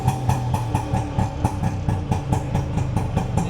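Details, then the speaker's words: Bajaj two-stroke engine on a trial run after rebuild (rebore, facing): steady low idle with an even exhaust pop, no knocking or rattles; normal running. "ಹೊರಾಯ್ತಪ್ಪ, trial ಹೊಡ್ತಿದ್ದೀನಿ. ಈ ಬೆಂಡಿಂದ ಏನೋ ತಪ್ಪತ್ರ ಜಾಸ್ತಿ. ಗಾಡಿ ನೋಡಿ ಹೆಂಗಿದೆ."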